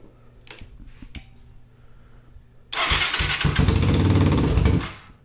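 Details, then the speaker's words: Yamaha 225DX three-wheeler with a rebuilt factory carb and adjusted float, on a jump start: a few weak cranking clicks, then it catches and runs rough for about two seconds before dying. Engine stalling; jump likely lost. "it's not wanting to stay running kind of is all right so we got the fire up on its own got to jump back"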